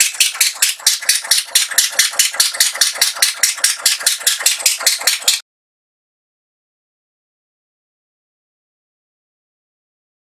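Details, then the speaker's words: Atomic 4 boat engine with plugged exhaust, only water leaving the exhaust port: slow heavy chuffing then stop, running on one cylinder as exhaust is pushed back through number one cylinder. "so I have something plugged holy cow that explains why it's running on one cylinder because all that exhaust is coming back through is being pushed back through the number one cylinder"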